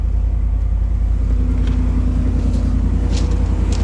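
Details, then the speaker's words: 1990 GMC 350 TBI V8: a deep, even rumble with a steady beat and no stumble. It runs healthy on all eight cylinders after an earlier misfire that caused rough running and vibration at low speed and at a stop. "yeah that's the sound I'm used to seeing see hearing that's the cylon used to hearing all right cool so I guess we can use this truck still after all sweet"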